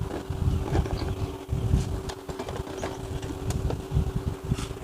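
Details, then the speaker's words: Electric fan after repair, converted to a ball bearing, recorded up close. A steady low motor hum under a soft rush of air with no rattle, tick or grinding; very quiet now. "เปลี่ยนแปลงเป็นตลับลูกปืดแล้วเงียบมากๆเลยนะครับเงียบมากๆเลยนะครับ"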